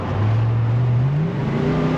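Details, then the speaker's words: C4 Corvette (240 hp) on test drive after new fuel pump and fuel pressure regulator repair, windows open: revs climb cleanly under throttle, smooth kickdown, previous stumble gone; healthy acceleration. "Oh yeah, the stumble is gone. Oh yeah. Oh yeah. No more stumble."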